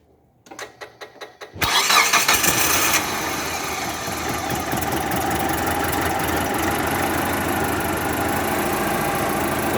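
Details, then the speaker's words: Distributorless petrol car engine that would not start all day; after reseating a cracked, loose TDC (cam position) sensor socket it cranks a few turns, catches at once and settles into a steady, even idle with no misses: normal start. "Jadi intinya langsung hidup juga ada masakan harus kantor langsung hidup kita juga enak ya jadi masalahnya hanya gara-gara kabel sensor"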